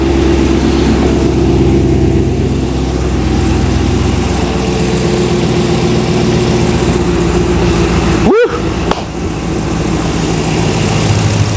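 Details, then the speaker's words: First-ever start of a 6.2-litre LS3 V8 in an Ultima RS kit car, inside a closed garage: a strong, even V8 burble settles into a steady idle with no knocks, misfires or stumbles. It starts on the first turn of the key; a bit smoky. "woo listen to [Music] that success on the first turn of the key now that's what I call a result don't you sound nice"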